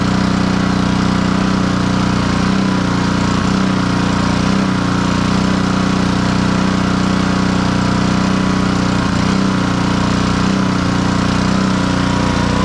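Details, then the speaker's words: Black Max pressure washer with Honda GCV160 engine after repair of a crank-no-start and throttle adjustment, running with hose connected: loud steady single-cylinder drone at constant speed, no misses or surging; fully operational. "as you can see the pressure washer is fully operational hopefully we'll have a happy client"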